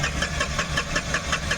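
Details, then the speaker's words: Tata Ace Gold BS-6 diesel that cranks but won't start: the starter turns it over steadily at about five beats a second but it never fires; scan shows code P0335 crank sensor no signal. "गाड़ी चाल नहीं हो रही अभी वापस से read करेंगे फड code यहां पर देखेंगे तो क्रैंक सेंसर नो सिग्नल का फल्ट कोड आ गया"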